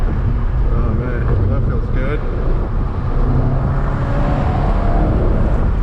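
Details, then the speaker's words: Ford Focus ST turbo, Stage 3 tune, Mishimoto charge pipes just installed, wide-open pull: deep, even roar held steady with no stutter or misfire; more responsive, earlier stutter gone. "Everything looks good, everything sounds good. Does feel a little bit more responsive on the throttle. As soon as I go flat out, it just goes. There's not that stutter anymore"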